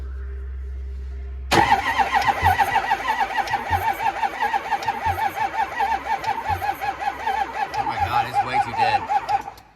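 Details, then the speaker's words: 6.0 Powerstroke no-start with a poor battery cable: the starter drags slowly with an uneven, labored chug for about eight seconds and never catches; batteries too dead to tell if it builds pump pressure. ICP regulator or IPR valve issue suspected. "still too dead I can't even tell if that was enough to pump or not"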